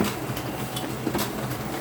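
Fast, busy clatter of light clicks over a steady mechanical run; the printer's feed or drive is clicking, cause unclear.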